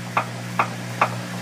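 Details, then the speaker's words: Three-year-old Samsung front-load washer, top off, in self-test spin: sharp knocks about every 0.4 seconds inside the outer drum over motor hum from a broken drum support spider; imbalance stops high-speed spin, after earlier banging and smoke. "That's from inside this plastic outer drum here. You hear that? I'm feeling the knocking inside the drum here."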